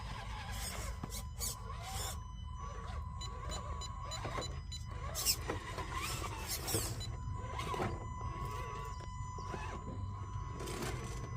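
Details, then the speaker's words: Radiolink Cool 9030 V2 90A brushed ESC (molded case, 7.5 V BEC, thicker wiring) driving a rock crawler on a backyard course: a thin steady high motor whine persists at low crawl speed over rock scrapes, a whine the owner wishes were gone. "I can still hear the whine. That's something that I do wish would have went away."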